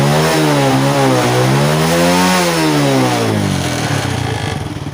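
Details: Honda Wave 100 with hard starting, stalling and poor acceleration. Carb cleaning and a new air filter did not help; clogged fuel filter cleaned and blown out. Single cylinder now picks up cleanly, revs rise and fall smoothly: normal revving.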